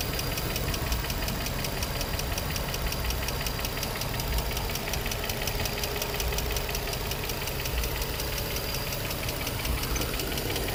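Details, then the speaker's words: Infiniti G35, 109k miles, no check engine light, new cats, regular oil changes: steady, fast ticking evenly over the idle, heard from one side of the engine; top-end ticking, lifters or spark plugs suggested, cause unknown. "side is not making any noise. This side is. No check engine light on. Let's see. Oh man, oh man. What the hell is that noise?"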